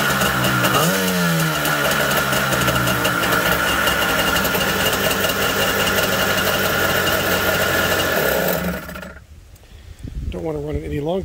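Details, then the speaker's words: 1991 Kawasaki 550SX two-stroke jet ski first start after six years of storage (fogging spray in cylinders, fuel stabilizer, winterizing fluid), half choke then choke off; raspy buzzing idle picking up with throttle blips, runs smooth and healthy, normal running. "a little bit of winterizing fluid through the lines and six years later starts up like a charm"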